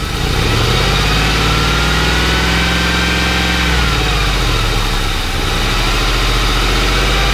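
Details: Warm Ford Crown Victoria after removing and cleaning the idle air control valve, owner suspects it was a little clogged; steady, even idle with one brief rev blip, no hunting or surging; earlier noise gone.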